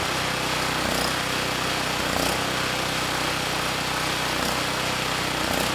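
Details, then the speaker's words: Campbell Hausfeld GN503100AC generator, Briggs Vanguard engine with clone carburetor, 20 µF capacitor fitted: loud busy buzz swelling and easing every second or two with nothing plugged in; lean surge at no load. "yeah it's not perfect without a load there is a surge so we're running a little bit lean"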